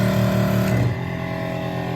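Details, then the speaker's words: WAXIE Versa 2 carpet extractor (1.4 hours, suction complaint) solution pump on low pressure drawing chemical through injector with foam output; steady buzzy motor drone settling lower, nothing abnormal. Normal operation. "Okay, I'm testing the pump right now. It's on low pressure, and that draws the chemical through the lines into the hose via the injector, that glass device right there. And as you can see, we're getting some foam."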